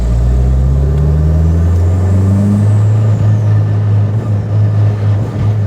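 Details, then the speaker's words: 300ZX project car driving, rear diff on poly mounts: steady low drivetrain drone with no clunk on or off throttle; earlier diff noise gone, though a separate moan is blamed on the steering rack. "I'm surprised the diff noise went away. Maybe I need to be going a little faster."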